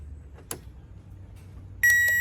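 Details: 2005 Toyota Highlander, no-crank test: one faint click, a steady high beep, starter never turns; starter relay gets no ground via the safety neutral switch, which is suspected, intermittent especially in mornings.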